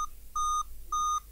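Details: Dell Inspiron N5010 laptop, a comeback repair with no picture, fan spinning constantly: repeating mid-pitch quarter-second beeps, eight in a sequence, pointing to a graphics chip fault. 8-beep POST code.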